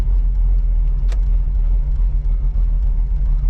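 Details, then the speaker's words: 1985 Oldsmobile Cutlass Supreme V8 with a brand-new carburetor and large headers, idling at a stop sign with no foot on the gas. Deep, smooth, even rumble with no stumble. It no longer stalls at stops, a normal idle. "Stop sign. No foot on the gas. Idling. It's not shutting off."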